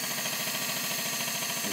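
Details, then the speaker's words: Bosch 044 and Facet Posi-flo electric pumps on a surge tank in an 89 Nissan Bluebird carb-to-injection conversion: loud steady high whine with even pulse, together drawing under 11 A; working normally. "you can hear, but it's working fine."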